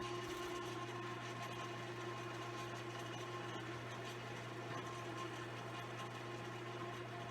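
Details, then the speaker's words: Giles GEF fryer filter pump after clearing and recoupling, refilling the fry pot with the drain valve closed: a steady motor hum with a constant low drone and light whir. The pump runs normally. "so that's how you get your pumps to go it's not always that easy but in most cases that's that's all it takes"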